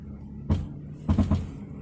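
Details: Jeep Grand Cherokee accelerating hard: deep thuds, one hit then a quick group of three, under low drone, gone once moving; axle shaft, driveshaft, struts and sway bar bushings already replaced, motor mount suspected, not confirmed.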